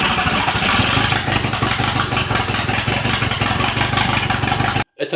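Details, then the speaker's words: Toyota MR2 with a 1.8T engine swap on its first start, with turbo and O2 sensor connected: it runs rough with a choppy, stumbling beat and no smooth idle. Not running on all four cylinders; thermal imaging pointed to cylinders one and four. "We're definitely not running on four cylinders. So, I'm just going to grab the thermal thermal imaging camera and see which cylinder isn't firing."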